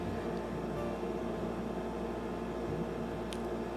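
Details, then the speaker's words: Mobicool MCF40 portable compressor fridge (Dometic group) on test, cooled down to 7 °C with a 4 °C setpoint being entered: low, even hum without knocks or rattles, compressor running normally while cooling. "Il compressore intanto sta girando, il frigorifero sta scendendo sempre più di temperatura, per ora siamo scesi a 7 gradi e vediamo un po' come raffredda e se funziona bene."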